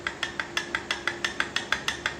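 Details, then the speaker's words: Shovelhead (1966-1983) rocker box set up with the rocker arm worked up and down by hand; sharp metallic clacks about six a second as the arm bangs from excessive end play, to be fixed by machining a recess so the shaft can go further in. "So that is our rocker arm banging up and down cuz there is excessive play in here."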